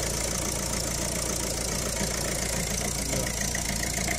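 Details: 2011 Citroën Picasso diesel at idle before repair, with an uneven, clattery rattle about 3.5 beats a second; smoke and rough running from a faulty diesel rail pressure sensor, cured by replacing it.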